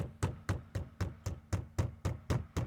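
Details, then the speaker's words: 2019+ Acura RDX dashboard where two trim surfaces meet, banged by hand: steady knocking about four times a second, each hit followed by a short hollow buzz; loose trim rattle that fades when something is wedged into the gap. "so you can hear kind of the rattle i only got one hand here but let's hope if we wedge something in here like this now we bang on it again can you hear the difference right there you can kind of you can kind of hear it rattling a little bit"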